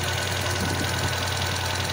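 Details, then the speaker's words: Volvo B20 engine with worn original fibre timing gear: steady but uneven idle with a faint clatter, and ignition timing advance jumping. Worn gear set to be replaced. "the fiber gears usually were gradually making the car sound like a dizzy uneven at idle park advance is also jumping all over the place"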